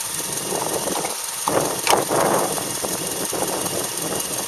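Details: Subaru Outback EJ253 flat-four bought with a damaged engine, recorded before and after rebuild: uneven hollow knock about three times a second over idle, damaged bottom end.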